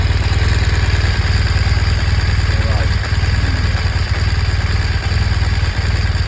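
Steady boxer idle with a fast, even light tick riding on the low thump, about four per second; source of the tick unclear.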